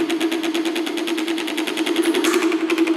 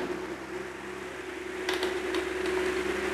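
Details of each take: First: Pedestal fan motor, capacitor just replaced, still gives a strong steady hum with fast dry chatter at starting from a dry bush (sleeve) bearing; not loose yet, so oiling should fix it, replacement needed if completely loose. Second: Pedestal fan that hummed and ran slow from a weak capacitor, after fitting a new capacitor, at highest speed: steady airy whoosh with faint even motor tone, running smoothly and fast; normal fan running at high speed.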